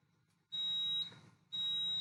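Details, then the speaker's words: ZP2 fire alarm panel linked to ATS8600 via Modbus PAK, after reset device goes into fault; steady high beeps about a second long with half-second gaps; panel fault buzzer before muting. "okay my panel goes default on this device and same on this side so let's just mute the buzzer again"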